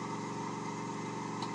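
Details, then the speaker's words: Lathe turning an oddball workpiece mounted off centre, sped up until a low throbbing rumble pulses under the steady motor hum; the speed is too high for the imbalance, so it must be slowed until the noise disappears. "so that tells me I am past the point where I want to start turning that I want to slow it back down until that noise disappears and maybe a little bit beyond"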